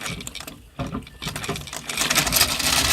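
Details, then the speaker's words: Antique sewing machine: after handling noise the machine spins up to a steady high-pitched whir with light even chatter; it still works and can sew. "But I mean, it still works. I can still sew with it."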